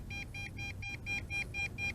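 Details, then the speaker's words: MJX Bugs 3 Pro GPS drone distance test: rapid steady high beeps, about four per second, as the transmitter's range-limit warning sounds while the drone returns sideways after the default failsafe return-to-home at about 1 km. "and it is making its way back sideways and as you can hear the remote control is going nuts"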